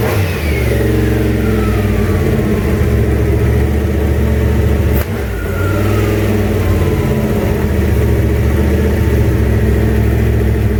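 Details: 1967 Mustang, junkyard 351W turbo V8 with new headers, first fire-up: loud deep idle, a couple of revs rising and falling unevenly; runs but untuned, owner says it definitely needs a tune.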